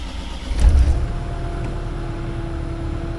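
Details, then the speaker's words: CAT 305 excavator with a common-rail diesel, after a fuel filter change and priming air out of the fuel system. Brief crank, catches within a second into a steady, even idle. "oh there we go see it's just bubbles just bubbles so the next time it should just start right up so not to worry everything is still fine"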